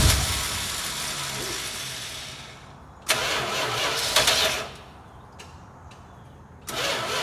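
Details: 1971 Dodge Charger, 26k original miles, sat 27 years in a barn, fed from a gas can through a 10 ft line: three bursts of starter cranking a couple of seconds each with pauses, never catching. Cranks, no start.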